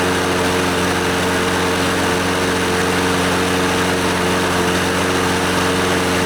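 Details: Scotts lawnmower, Briggs & Stratton 6.5 HP OHV Intek Edge engine, after carburetor and fuel-system cleaning and a new NGK BKR5E spark plug: steady, even drone with a constant note and no misses or surging; it runs well and is considered fixed.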